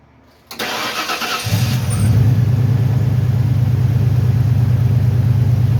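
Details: 1993 Ford Bronco after replacing a seized smog (air) pump that made the belt squeal badly, with the serpentine belt rerouted correctly: engine cranks, catches within a second and settles to a steady, even low rumble with no knock or squeal; normal running.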